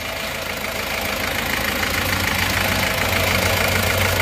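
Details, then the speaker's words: Panther diesel rebuilt after overheating and seizing, first start: a rattly idle with fairly regular clatter about four times a second; owner attributes the roughness to the injector nozzles or injection pump, not the engine itself. "Kalau ada suara yang kurang halus ini bukanlah suara mesin dipastikan suara dari nosel atau Bos pomnya"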